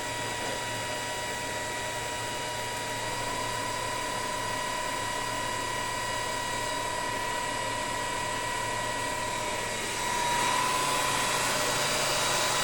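Even, steady high whine from the drive with a smooth background hum and no knocks or rattles; the motor and inverter run healthy.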